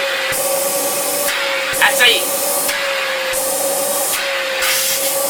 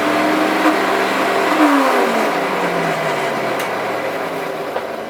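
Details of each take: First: Electrolux Epic 8000 vacuum (1997–98) after a broken motor bearing was fixed by fitting a generic replacement motor: a few handling knocks, then steady even motor hum with clean airflow rush; normal running after repair. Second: Le moteur fait un bruit étrange. Un des roulements à l'intérieur du moteur s'est brisé.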